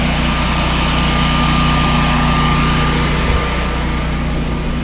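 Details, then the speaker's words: Newly self-installed Generac 24 kW standby generator with its panels off: loud, steady low drone with an even engine beat and a thin constant tone; running normally. "It's loud, but you know, to have power when you don't have power, it'll work."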